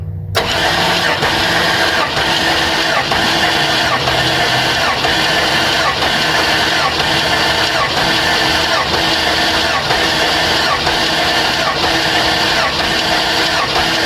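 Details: 2000 GMC K2500 with Gen 6 Vortec 7.4L 454, not at operating temperature, compression test on cylinder 7 with plugs out: steady even cranking, no drag; about 140 psi versus 147–150 on others, judged fine.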